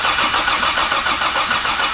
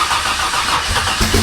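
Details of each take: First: Barra-swapped Ford Mustang GT350 first start on Haltech ECU with cam sensors ignored then plugged back in: starter cranks about three seconds, engine catches and settles into a steady idle; normal start. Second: Barra-swapped Ford Mustang GT350 at its first start: starter cranks, the engine catches for a moment with ragged firing, then drops out. ECU setting, a bad sensor or crank/cam trigger sync is suspected, unconfirmed. Fires briefly then dies.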